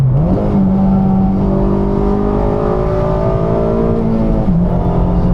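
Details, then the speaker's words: Slammed 8th-gen Honda Civic Si accelerating on the road, engine note climbing and holding under load with a brief dip at the shift, clean and strong with no rattles or misfires; sounds good. "You cannot go wrong with this car, bro. It sounds so good."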